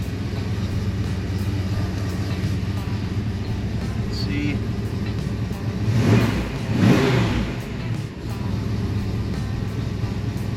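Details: Fox-body Mustang on a Holley Terminator X with a swapped-in Ford Fiesta-style idle air control valve, cold engine idling around 940 rpm: revs drop back smoothly to a steady idle without hanging; the new idle control works properly.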